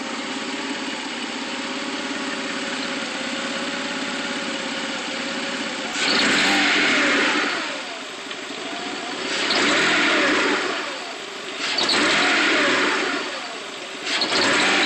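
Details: 1995 GT: slightly uneven idle, and each throttle blip brings a brief stumble, something like a misfire, before revs rise; hesitation on acceleration, cause unknown.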